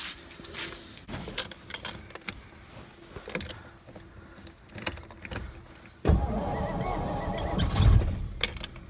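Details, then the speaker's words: 1963 Studebaker Lark, off the road since 2010, cranked on starting fluid with a weak battery: rough catch with a sharp backfire pop; oil pressure present, oil leak seen, and the engine won't stay running. "Ooh boy. Hey, backfire. It's got oil pressure."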